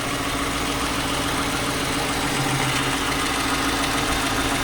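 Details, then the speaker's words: 2009 Chrysler 300C 5.7 Hemi, 60,000 km, at idle: light, fast tick at about three to four per second on the driver side only. It is present hot or cold, and the owner suspects the exhaust manifold, possibly a broken bolt. Heat shield bolts are tight; unconfirmed. "so now you can hear the ticking and it's just on the driver side not really on the passenger side"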